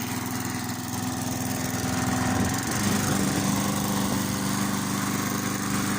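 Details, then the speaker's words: Briggs & Stratton 3.75hp lawn mower single-cylinder engine, after running about 9–10 minutes: steady, even run at constant speed with no misses or knocks; running better and healthy once warmed. "as you can hear the engines running a bit better"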